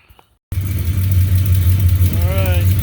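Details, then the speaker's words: 1970 Plymouth Duster 340 V8 after new heads and Speedmaster roller rockers, first start, running without radiator: loud lumpy idle about three pulses a second with sharp puffing tick on the exhaust note, an exhaust leak. "Running. Definitely getting an exhaust leak."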